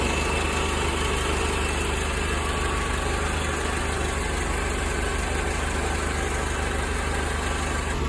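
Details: Mercedes-Benz 190E (W201) after heater pipe repair, engine started and coolant warmed to 80 °C with no leaks: even steady idle with smooth low hum and no knocks, stumbles or hiss; healthy warm-up idle.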